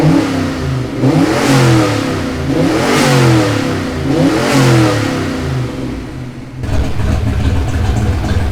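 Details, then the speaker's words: Turbo Fox Body Mustang first start, fuel system not yet upgraded, warming up with open exhaust cutout: three strong rev blips rising and falling cleanly, then deep steady idle; runs well, oil leak at homemade T fitting. "It sounds good. It's running good."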